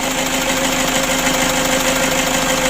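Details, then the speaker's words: Toyota Hilux diesel started after brake vacuum pump (blower) cleaned and refitted and oil and filter changed, for brakes suddenly going hard; steady even diesel idle clatter, no misfire or knock: normal diesel idle. "lalu kita coba dulu kita hidupkan deh Eh disetor coba dulu oke untuk mesinnya sudah hidup"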